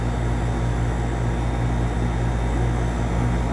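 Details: Steady low hum with even fan whoosh, no buzzing, clicking or chatter from a 30+ year old (1990s) apartment AC condenser, running normally and cooling again after contactor troubleshooting of a no-cool call.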